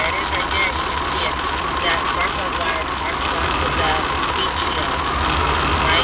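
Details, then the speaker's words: 22-foot RV motorhome engine at warm idle, recently fitted with a new radiator: sharp light ticks about four a second over a steady idle; others suspect arcing from a spark plug wire or plug, unconfirmed, with new plug wires planned. "they both think it's either the spark plug wire or a spark plug they said that's an arcing sound that clicking sounds"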